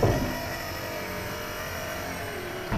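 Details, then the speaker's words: 1972 Buick Centurion convertible, previously inoperative power window after repair; steady, even motor hum and smooth whirr with no straining or grinding, window rising faster on its own. Normal power window motor operation. "Yeah, it went up way faster, so I didn't have to help it up at all. I just went all the way up on its own."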